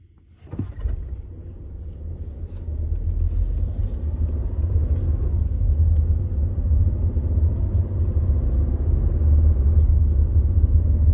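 Deep, uneven low rumble that builds over a few seconds and stays heavy; the car shudders when start-stop kicks in, cause unclear.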